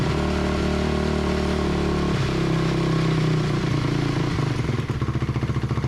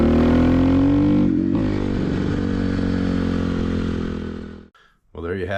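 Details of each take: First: 2004 Honda CRF250R with a damaged head, after repair and before carburetor tuning: single cylinder thumps crisply and evenly with no stumble or misfire; later judged too lean, needing a bigger main jet. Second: 2004 Honda CRF250R, test ride: at wide open throttle revs climb then stumble and flatten instead of pulling cleanly; lean bog from too small a main jet, fixed by going up to a 170 main jet.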